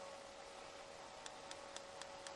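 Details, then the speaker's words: 2015 Hyundai i20 1.4, misfiring, spark plug with a grazed spot tested on the bench: sharp crisp cracks about four a second over faint hiss as it sparks across its gap; test light then showed insulation breakdown. "you can hear the cracking of the spark plug so i'm just going over here with my incandescent test light to see if there's any um insulation breakdown"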